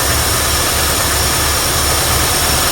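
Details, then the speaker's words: 1972 Ford F100 V8 after sitting abandoned for decades, just fitted with a rebuilt carburetor: starts right up and settles into a steady, even, smooth rumble with no misses or knocks and no exhaust smoke; normal idle. "man that thing sounds good wow that's so cool there it is guys rebuilt carburetor just like that starts right up idling"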